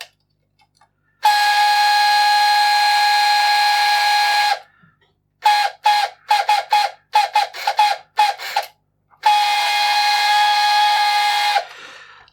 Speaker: All right. It's not going to stop. Uh, I'm going to take a guess that it should stop once it's taken the coin and put it in the box.